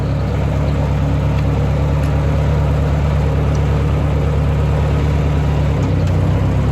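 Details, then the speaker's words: 1958 Ford 871 Powermaster Select-O-Speed tractor, restored after about 20 hours of work, started in park: a steady, even low idle with no misses, knocks or ticks; a normal, healthy idle. "I'm going to go ahead and fire it up. Let's see here in park. And starts right up."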